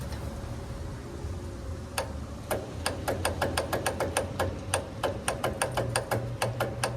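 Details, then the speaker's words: Troy-Bilt Gardenway 47278 vac chipper, Briggs flathead horizontal engine with 12-volt electric start: rapid solenoid clicking, no crank, due to a discharged battery; solenoid and starter work, needs a fresh battery. "hear the solenoid clicking. No crank. So if the battery was charged, well, it would start the engine."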